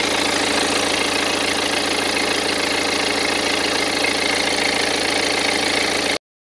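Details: 2010 BMW 118d E87, N47 diesel, 178,000 km: steady idle with a busy, uneven rattle; the timing chain drive was torn down and proved fine, so the rattle's source is unclear.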